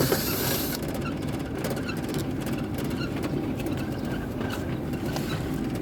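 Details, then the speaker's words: LG condensation dryer, abnormal noise during running: steady tumbling rumble with irregular light scrapes and squeaks; belt and pulley fine, a drain hose came loose and rubs the drum. "we found the problem here this pipe came out and touch with the drum it's it is small damage also"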